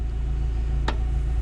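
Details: Rover K-series petrol engine at idle: low even rumble with a slightly boomier exhaust, owner suspects the original back box; no ticks, knocks or hunting; healthy normal idle.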